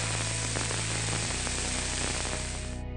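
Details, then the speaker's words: Healthy rolling bearing heard through an Ultraprobe ultrasonic instrument in contact with the bearing: a smooth, even, uniform rushing hiss, with music underneath; any other noise could indicate a bearing problem. "escuchar un sonido mecánico uniforme si escucha cualquier otro ruido eso podría indicar un problema con el rodamiento"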